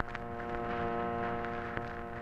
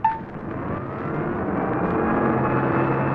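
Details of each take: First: 1951 Chrysler car radio, dead-radio check with ignition at accessory/on and volume up in a quiet spot: steady, even vibrator hum with no dropouts, showing the vibrator power supply works; trouble is not in the vibrator or A lead. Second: Car with an eight-tube radio, engine running and radio on: a steady whine that swells with engine speed, gone when the ignition is switched off; generator interference, and the generator condenser should be checked.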